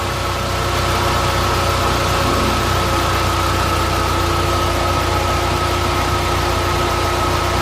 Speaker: este motor tenía un sonido en las tapas de puntería se escuchaba como bustos descargados era la cadena se cambió la cadena los dos árboles el temblador y la tapa de los árboles